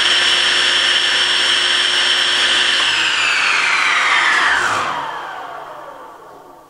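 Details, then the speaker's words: SawStop table saw 1.75hp motor after the 220V contactor upgrade, run three seconds: an even high whine, then a smooth coast-down with no rubbing or rattle; slight tonal difference, likely spooling up quicker than on 110V. "sound wise there's a little tonal difference but i think i'm pretty sure i noticed that the 220 ramped up a little bit quicker"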